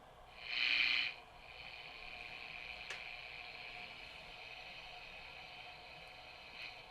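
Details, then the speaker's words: Sony TR-1819 six-transistor AM radio (1968–70) after recapping, fresh batteries: one loud crackle at switch-on, then even quiet hiss with no station tuned; working, volume control fine. "well I certainly know that it is working but I'm not picking up any stations but I think that's okay"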